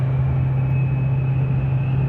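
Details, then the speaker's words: 2008 Chevrolet Silverado V8 with 203,000 miles, past cylinder 6 misfire, cruising with an active fuel management disabler plugged in. A deep, even drone with no stumbles or dropouts: it runs well with no misfire. "really good i've got my uh active fuel management disabler plugged in and going"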